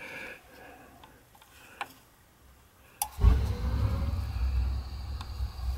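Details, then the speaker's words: Gas boiler and water heater power venter after fitting a brand-new, properly sized venter motor and assembly to fix a loud hum: faint clicks, then smooth steady low blower hum, no rattle or drone; much better than the old one. "sounds a lot better than the other one did yeah the brand new motor"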